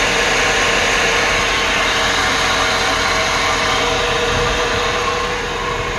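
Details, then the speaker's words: Mercedes-Benz at idle with hood open, serpentine belt fairly new and pulleys just worked on: steady whirring hiss over a smooth idle, no knock or rhythm; source of the whir not pinned down. "it's like a whirring sound so anyway the serpentine belt was like not that old either"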